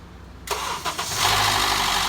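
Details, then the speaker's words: Honda CR-V (2013/2014) petrol engine cranks and fires with a harsh metallic rattle from the VTC actuator at startup that then goes away; fix is replacing it with a new Honda VTC actuator. "Hear the engine rattle noise, and it goes away. It's just right here. It's called the VTC actuator."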